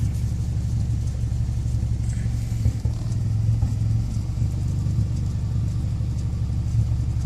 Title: 2008 Evo X Rough Idle